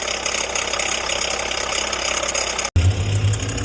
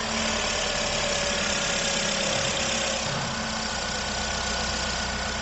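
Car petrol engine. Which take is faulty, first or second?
first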